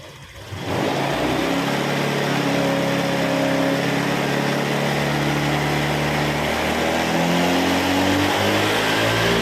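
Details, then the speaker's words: Honda Vario 125 scooter on its center stand, after work on an 80 km/h rattle blamed on the piston rings and a TPS replacement, before reset: the engine note rises and falls smoothly with each throttle blip, with no stumble or hesitation; normal throttle response. "OK, Bro, for the gas and engine, the handphone rotation and the sound of the engine are in sync, there's no interruptions or fussing like before, it's smooth"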